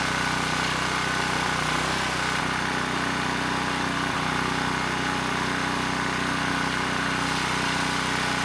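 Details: ETQ 2700 W brushless-powerhead generator after governor calibration: steady constant drone, no hunting or surging; started slow, governor spring screw driven halfway in to reach 62 Hz, engine held at even, healthy speed.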